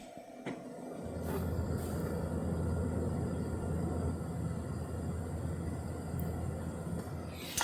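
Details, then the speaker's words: Deepcool AIO water-cooling pump on a PC idling at 60°C CPU: steady low hum with a faint higher buzz, pump far too loud, to be replaced with EK Nucleus CR240 and Noctua fans. "je sais pas si vous entendez mais la pompe du water cooling qui est juste ici est vraiment trop bruyante"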